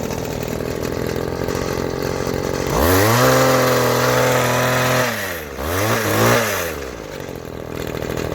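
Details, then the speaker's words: Vintage 1990s Weed Eater GHT-22 two-stroke hedge trimmer, 22-inch cutter, revived after fuel line and filter work and fresh fuel: snarls up, holds high rev, drops and picks up without stumbling. Normal running. "well today another one lives"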